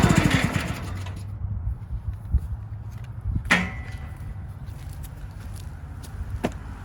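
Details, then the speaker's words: Countyline 25-ton log splitter small engine after carb cleaning, jets cleared and tank cleaned: runs unevenly with a loose, lumpy beat, then sags and stalls once load comes on; owner suspects carburetor or fuel flow, unconfirmed. "so underload it just won't stay running you can see it's stalling out got to be carburetor"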